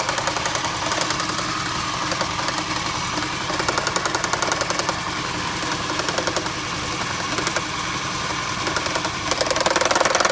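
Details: 2008 Toyota Prius petrol engine idling with an uneven, repeating knock that seemed to come from the transaxle; it was an ignition misfire caused by a bad igniter/coil on cylinder 1.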